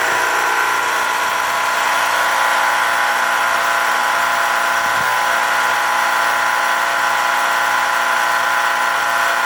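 Loud steady mechanical drone with a buzzy edge and a low pulsing throb; the heat pump is running abnormally noisily, cause unknown.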